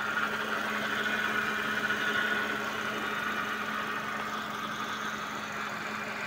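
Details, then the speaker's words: Suzuki Vitara power steering pump whining while steering at full lock: fluid foaming, very dirty strainer; pump drawing air, foaming from clogged strainer and degraded fluid. "Na siya nagbubula-bula or fo-forming. Yan. Sobrang dumi yung ah strainer niya."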